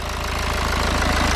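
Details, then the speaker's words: BMW at its first start after a turbo rebuild and replacement, with the plastics not yet refitted. Steady, even idle with a smooth low pulse and no ticking, hissing or rattling; no leaks, no smoke, clean normal idle. "No big leaks or nothing. Car sounds good. No smoking. Clean as a whistle."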